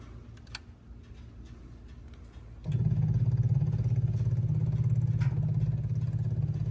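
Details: Onan 4000 KY generator after new spark plug, oil change, fuel filter and fuel pump, cleaned carburetor, adjusted choke coil and altitude screw set richer: engine catches and settles into an even, steady drone with no surging.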